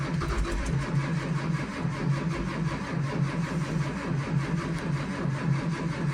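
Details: One of two buses (2011 Thomas C2 with 6.7L Cummins ISB 220HP, or 2004 Blue Bird Vision with 7.2L Caterpillar C7 210HP) cold-cranked at about 23 degrees in wind. Steady, labouring starter churn with regular compression pulses never catches: crank, no start.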